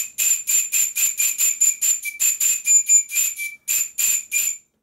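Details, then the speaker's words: PM Research model steam whistle on 40 psi compressed air: short shrill toots, thin hiss, weak unsteady tone. The bell is set in the wrong position, the only spot where it whistles at all; the owner knows the underlying fault. "I've adjusted the one in the foreground and at the moment the Bell is in the wrong position but it's the only position I can set the Bell to make it whistle at all"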